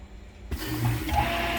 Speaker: You can hear 2 pumps going right now. There's the one that is running continuously. That will turn off in a second. And there's one that's going wah, wah, wah. That is the waste pump in front of us.